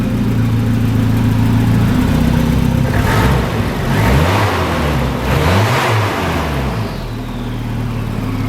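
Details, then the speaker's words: Volvo 760 Turbo drift build, being blipped after exhaust work that makes it sound better: deep rumble swelling and falling, with a faint turbo whistle fading as revs drop; normal turbo spool. "Woo, you can hear the turbo, that was cool. I like that."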